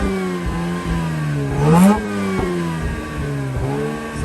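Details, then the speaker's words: 2004 Mazda RX-8 manual rotary, unstarted for 2 years, just catching after repeated deflood cranking: lumpy, uneven running with rev blips and sagging dips, held on throttle to keep idling, some smoke; owner suspects it forgot its fuel trims. "now I gotta idle it till it takes over. It hasn't been starting so long. Correct me if I'm wrong. But it probably forgot its fuel trims."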